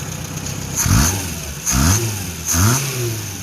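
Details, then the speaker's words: 1977 Renault R5 LeCar revived after neglect, warmed up, radiator fan on, still slightly smoky: three quick throttle blips return cleanly to steady idle; good throttle response, idle completely smoothed out. "It's a pearl. As they would say in France, caviar. Wow, the idle has just completely smoothed out."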